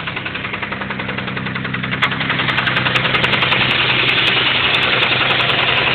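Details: 1991 Mitsubishi 3000GT VR4 engine running: a sharp, even bottom-end knock about 3.5 per second. It started suddenly, with no metal flakes in the oil and no oil pressure problems; owner suspects a spun rod bearing, unconfirmed.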